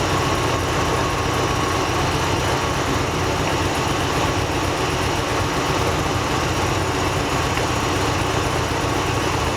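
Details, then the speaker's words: V8 idling with a slightly uneven, loping pulse while a coil connector is unplugged, one cylinder not firing, during a misfire check of each coil. "the other ones obviously once you unplug them you can hear kind of the engine shut er down you can hear misfire"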